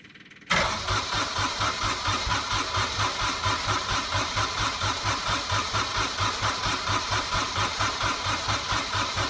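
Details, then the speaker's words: Small Kubota diesel, cold (about 1°), newly fitted starter with 8-tooth pinion, heat position on and fuel pump running; cranks strongly and evenly at about 87 compressions a minute but never fires; owner suspects glow plugs not working. "that's a shame cuz these little Kotter engines they usually start pretty well I don't think the heat of plugs are working now but it cranks over"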